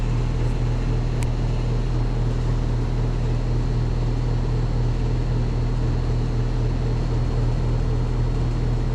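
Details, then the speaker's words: Outdoor HVAC unit, on a third return visit after the contactor was replaced, runs rough with a heavy steady low hum and uneven fluttering drone; mechanical failure suspected, not confirmed. "oh I got to say that sounds rough like like something um ain't work like there a mechanical failure or something"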